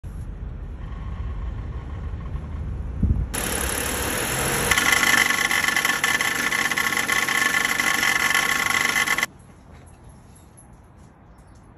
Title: Low RPM rattle noise while on drive. Belt Tensioner replaced for a 2014 Ford Flex.